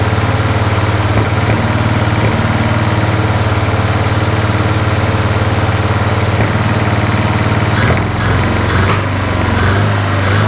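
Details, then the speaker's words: 1981 Toyota Hilux RN46 4x4 with 18R-C engine, freshly rescued, running off a hand-held fuel can: steady lumpy idle pulsing about 220 per minute, sharp backfire pops near the end; owner guesses ignition timing slightly out, unconfirmed. "I've got it running off the fuel can and's happy to risk her life to hold the fuel while it's backfiring I'm guessing she's still a little bit out of time"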